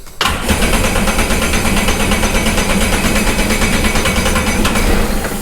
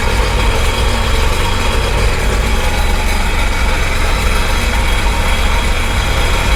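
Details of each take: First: Sea-Doo Sportster Speedster jet boat out of the water, after the original starter solenoid was refitted: starter spins the engine at a steady churning beat for several seconds without catching; owner suspects it is flooded from repeated priming. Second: Sea-Doo Speedster jet boat engine on flush hose after no-start, water not yet turned on: steady even low rumble with no misses or knocks; now starts without problem and idles smoothly.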